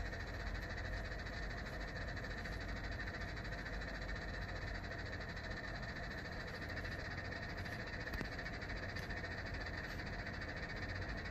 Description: 配線が絡まったのか、とりあえずうるせぇんだがw